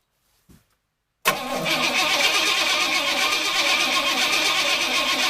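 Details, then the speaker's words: Engine cranked using a portable jump starter with no gas in the tank: the starter spins it hard at about four beats a second but it never catches. Crank, no start because it is out of fuel. "Wow, that's pretty impressive that it was actually able to crank this engine over. If there had been gas in here, it probably would have started."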